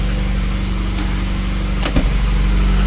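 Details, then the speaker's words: VAZ 2109 after head gasket replacement, fully cold engine at idle with the heater on full while bleeding the cooling system: steady, even low idle, no misfire, quiet block with only faint tapping; normal cold idle. "Ну не троїть в принципі навіть даже тихо блок працює"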